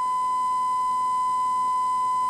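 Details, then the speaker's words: 1968 Panasonic RE-7671 AM/FM receiver, germanium amplifier, 1 kHz sine fed in: left channel tone harsh and buzzy with extra overtones, top half clipped; clipped output from badly set bias, right channel clean. "the bias is just horrible"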